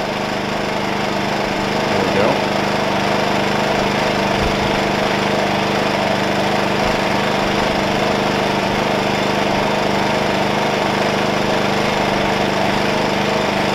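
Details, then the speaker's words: Wen 56203i 2000 W inverter generator (made 7/2020), just cold-started with choke, side panels on, eco mode, no load, about 60–62 dB; steady, fairly quiet even hum, no surging or knocking, healthy idle. "all right let's run it and eco mode is on so that's about as quiet as it's going to get"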